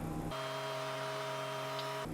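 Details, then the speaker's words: 2010 BMW 535i E61 wagon, auction car: after codes are erased, the air suspension compressor kicks on with a steady even hum and raises the rear; compressor running normally, one part fixed it. "I just erased the codes and I hear the compressor kicking on it's raising it's kind of raising it's doing stuff guys it's trying to oh no it's it's"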